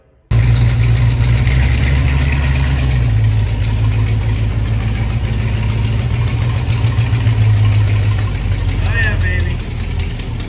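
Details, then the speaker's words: Jeep CJ7 carbureted engine after fuel-system repair (pickup replaced), carburetor not yet tuned; loud, slightly uneven idle at steady speed with no knocks or squeals. Runs fine, needs carb tuning. "Uh, and make sure this is tuned nice. And yeah, I'll uh I'll show you some some videos of it running now, though, before we end the video."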